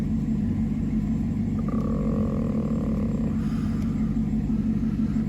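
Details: 2016 Caprice V8 (6,081 engine hours), which ran rough with a StabiliTrak fault and codes P0208/P0300, idling after repair with no codes left: low, even rumble with no misses; fixed, normal idle.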